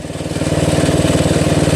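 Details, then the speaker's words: Toro Wheel Horse 825 riding mower, Briggs 8HP, after new battery, carburetor replacement and linkage fix, while riding at idle throttle before going to full: even regular thumping about eleven beats a second, no stumbles or knocks; healthy. "Whoa! That was idle throttle. Now we got full throttle. This thing really moves."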